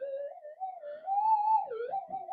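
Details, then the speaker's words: Old modified Nugget Finder Advantage mono metal detector coil with leaking solder joints, tested against a hot rock/core; threshold tone stays smooth and steady with no sharp rise as the rock passes: no false signal from hot rock. "but oh look no signal oh oh oh no signal"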